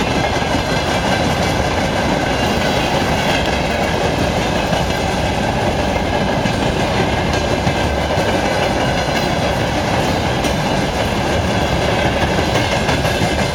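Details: 2TE116-1273 diesel locomotive after repair: continuous heavy roar while rolling with steady rail clatter underneath, no knocks or squeals standing out; sounds healthy.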